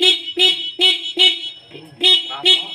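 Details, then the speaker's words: Honda Supra X 125 with starter fault (only clicks, no crank): horn tested gives loud clear full blasts in repeated bursts, showing battery power is fine; starter relay coil suspected. "kemudian kalau kita cek di tombol klakson masih keras"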